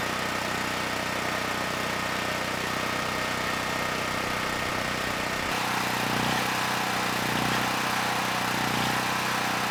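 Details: Generac GP6500E generator, formerly seized engine now running, warmed up, tested outdoors under load up to 6,000 W near max: even drone drops slightly in pitch and grows heavier as load comes on, no hunting; 121 V held, 61 Hz to just below 59 Hz, distortion 6% to 16%; healthy.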